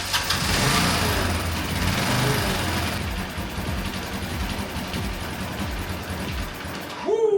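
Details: 1985 Honda Elite scooter after the old gas is flushed, with the plastics off. It fires unevenly, surging and sagging, nearly stalling. Unstable idle, nearly stalling, before adjustment.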